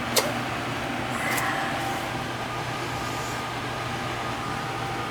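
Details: Oil furnace burner after service, firing with a steady even roar and smooth fan hum, no sputter or pulsing; good oil flow confirmed, filters good, a little air bled from the line.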